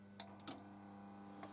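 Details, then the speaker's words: Cassette deck pressing play: a few light clicks and the initial clunk over a steady low hum, but the heads never move up and the transport never engages; the system labours, which sounds like a classic slipping belt. "What you should hear when you hear press play, you should hear the clunk of the heads being moved up towards the tape, and all the transport being aligned to play the tape, and that doesn't happen. You get just the initial clunk,"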